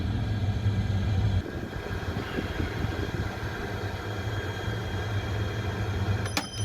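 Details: Oil boiler burner during air adjustment, combustion reading brought to about 11.5 on the analyser: smooth, constant low-pitched roar that settles slightly quieter, with no flutter or uneven firing. Normal, healthy burner operation.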